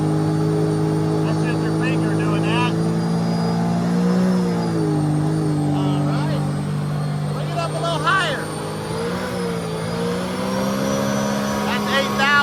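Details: 2010 Sea-Doo RXT 260 with SBT rebuilt supercharged engine, load test: steady smooth drone rising and dipping with throttle, no knocking, grinding or squeal; healthy under load.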